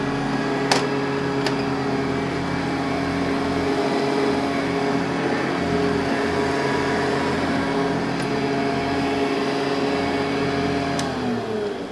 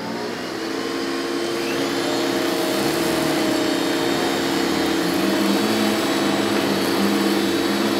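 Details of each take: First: Metal-base Hoover upright vacuum, model 1070, using genuine Hoover HEPA A bags, recorded with studio mic: smooth even quiet motor hum then wind-down; normal running. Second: Metal-base Hoover upright vacuum, model 1070: a steady high motor whine with a faint dry, rough edge under the airflow. The motor bearings may be dry and could use grease.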